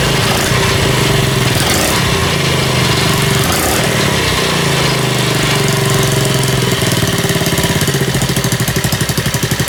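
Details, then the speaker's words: Friend's Honda CD50 engine, test-started on a bench after an oil-leak rebuild, possibly with little oil reaching it; cam chain tensioner noise was expected but it idles evenly at about four beats a second with no rattle or tick. "思ったほど異音もなくかかっちゃった。"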